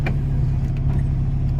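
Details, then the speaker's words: ~30-year-old Acura/Honda Integra (B-series) after major maintenance: deep, even idle rumble, no squeal or tick; owner says it sounds amazing, though a slight idle surge persists, possibly a leak. "I mean, dude, it sounds amazing. It's It's feeling amazing."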